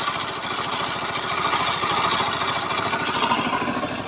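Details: Bajaj Pulsar NS160 motorcycle running: fast, even tapping about three per second over the single-cylinder engine, a sharp metallic tick; engine ticking noise, source unknown.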